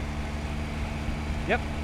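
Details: Rebuilt Honda Click 125i scooter (new cylinder piston kit, throttle body), starting with no exhaust fitted: steady, even low hum with no knocks or rattles, settling into a smooth idle right after starting; normal idle.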